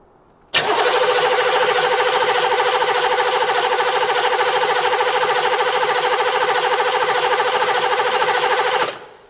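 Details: 1980s Buick Century diesel abandoned, glow plug light stays on, injector lines loosened to check fuel; cranks steadily about three turns per second for eight seconds without firing, little fuel at injectors: crank no start, cause suspected, not confirmed.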